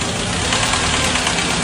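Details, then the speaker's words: Cold start: fast, light ticking from the top of the engine at idle, worse in winter and fading after 2–3 minutes as coolant warms, with sluggish acceleration. Cause is excessive valve clearance, adjustable on mechanical lifters; hydraulic lifters are maintenance-free. "如果你感觉我刚刚说的这情况和你的车非常相似，不要担心，不要以为发动机出了什么大状况需要大修了，它其实就是气门间隙变大了。"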